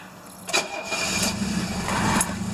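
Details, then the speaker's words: Diesel cold start in cold weather after two glow-plug cycles: cranks, catches, then lumpy uneven idle with one cylinder coming in and out; one glow plug suspected weak, cylinder catches as it warms. "there we go yeah you can hear that one cylinder but probably yeah there's just one cylinder that's not hitting this"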